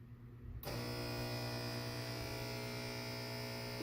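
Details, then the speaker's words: Washer on drain and spin: steady low buzzy electrical hum starting abruptly and holding level; cause unclear. "so i'm trying to drain and spin i'm hearing some kind of noise like this one"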